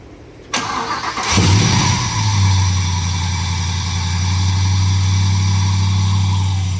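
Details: Chevrolet C10 with a supercharged LS swap, first dry fire with the radiator not yet fitted to build oil pressure and take a 10-second data log: quick crank, clean catch, flare settling into a steady, even idle with no misses; normal start.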